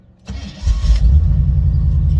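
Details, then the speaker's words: C4 starting after several tries: cranks, catches, then lumpy uneven idle with stumbling beats; owner says worn spark plugs cause the erratic running. "that's what the [ __ ] i'm talking about we need new spark plugs that's why it's erratic like that"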